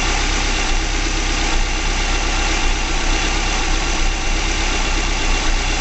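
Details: 2005 Subaru Legacy GT engine at its first start after a DIY rebuild, fuel nearly empty, no leaks seen, with some exhaust smoke expected from debris burning off. Smooth, even idle with a steady low hum and no knocks, ticks or surging: normal idle.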